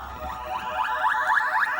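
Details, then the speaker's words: Williams Defender Red Label arcade sound board on the test bench after re-pinning backwards connectors and replacing the amp, during the boot sound test. Clean warbling electronic tones rise and fall evenly with no dropouts, crackle or distortion, so it boots normally. "let's go into the sound test now you can hear and I fixed up my box today too all the sounds are great so let's do a boot"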